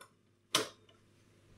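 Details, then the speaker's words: Nordmende Phonosuper radio-phono, restored, with a temporary makeshift drive belt: single crisp mechanical thump as the record changer cycles, then quiet; changer mechanics and electrics working normally. "Off. So all the mechanics and the electrics is actually working, and you can hear the thump as it goes through."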